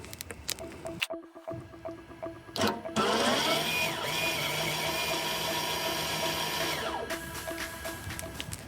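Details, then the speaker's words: 2017 Opel Astra K rear caliper electric parking brake motor, unplugged and powered by a 12 V Milwaukee battery to retract the piston for worn-to-metal pads: steady whine about four seconds, pitch dipping slightly under load, then stops cleanly once fully in. "Chúng ta cần đẩy nó vào hết cỡ và nó sẽ dừng tiếng ồn này."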